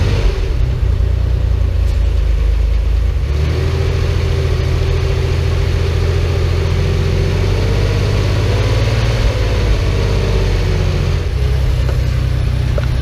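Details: Porsche 911 flat-six restarted after 10 years of storage, with a new fuel pump and filter, a temporary fuel supply hose fix and a cleaned tank. Steady, even low rumble with no misses, knocks or ticks, surprisingly smooth and quiet; normal idle.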